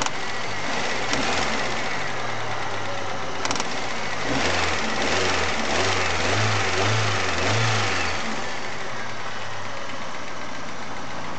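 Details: Chery Amulet engine: uneven idle with a dull low knock about 230 per minute and heavy vibration. The owner reports knocking on sharp revving and an oil pressure light sometimes at warm idle. Cause unknown.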